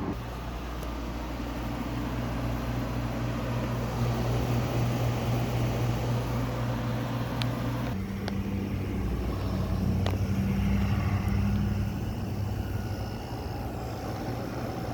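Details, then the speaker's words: Quiet, healthy rotary compressor on a window air conditioner at startup on a hot day: a steady low drone that shifts pitch once and settles, with no knocking or rattle. "I love that thing look how quiet that is that's a nice sounding compressor for a rotary"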